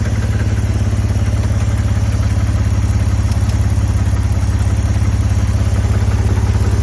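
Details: BMW E60 530i with a spun rod bearing, first start in months after 7–8 minutes cranking: deep steady rod knock about three a second at idle.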